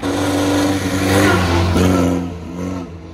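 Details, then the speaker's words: 1913 Bugatti Type 22 Torpedo, restored over 3,500 hours, hand-crank started: the four-cylinder fires, revs smoothly with an even beat and settles back down, healthy. Idle is set lower for hand cranking; compression was audible while cranking. "so I think we're ready to actually go start it now okay you did it there's a hand start very nice"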